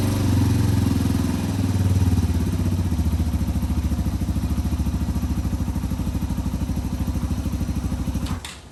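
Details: 2005 Yamaha TTR230 single after fuel-air mixture screw adjustment, muffler fitted: even thump at about three and a half beats a second with no ticking; runs well, though the clutch is not working.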